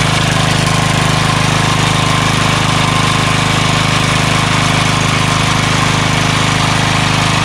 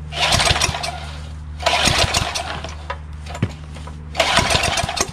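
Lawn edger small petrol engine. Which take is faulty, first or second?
second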